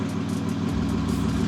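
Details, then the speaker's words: BMW M3 F80 with a newly installed race motor, first start, flex fuel on E30 and new turbos: deep, even, rock-steady idle rumble with no stumbles or misses, idling healthily. "all right so far everything is great i don't know if you can hear not but rock steady idle look at it"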